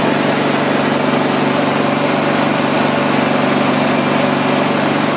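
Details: Husqvarna YTH24V48 riding mower test run after fixing its starting issues: loud, steady engine drone with an even beat and no misses or knocks; running smoothly after the fix.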